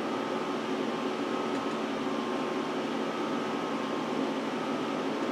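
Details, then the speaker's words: Power Mac G5 Quad on first boot after unboxing: loud, steady whooshing fan roar with no easing off as the CD drive spins down; fans kick up to full speed while it hangs, owner suspects a crash. "no CD ROM just spun down so and now the fans are kicking up"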